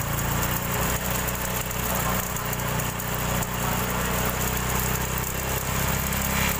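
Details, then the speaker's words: Honda Supra X 125 injection motorcycle: idle is smooth, but opening the throttle to about 3000 rpm brings a gritty, gravel-and-sand rattle from the left/magneto side over the exhaust note; worn cam chain (kamrat), which gets replaced. "tapi pada saat ketika buka gas sekitar di 3000 RPM itu langsung berbunyi seperti ada kerikil-keril bercampur pasir ya di bagian kiri atau di bagian magnet"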